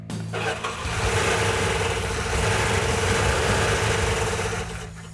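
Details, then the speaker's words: Freshly rebuilt 340 V8 in a Plymouth Cuda: lumpy, uneven firing that never settles; rough-running misfire. "well what's going on is we had uh two problems with our 340. we actually had three problems when we initially fired it off it was running on about six cylinder"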